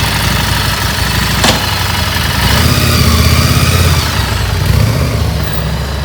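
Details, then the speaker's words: Single-cylinder motorbike that had been running hot and cutting out, after the spark plug was removed and refitted: steady, even idle beat with no misses or stumbles; running cleanly. "ಇದನ್ನು spark plug ತೆಗೆದು ರಿಫಿಟ್ ಮಾಡಿದೆ ಈಗ correct sound ಬರ್ತಿದೆ"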